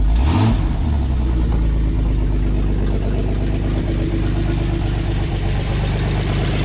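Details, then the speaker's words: 1986 GMC S15 Sonoma Sierra Classic pickup idling after purchase, not yet fully warm: a loud, raspy idle with uneven puffing chuffs about three or four per second over the rumble. The owner knows where the massive exhaust leaks are. "as you can hear maybe on the video I've got some massive exhaust leaks and I know exactly where they're coming from"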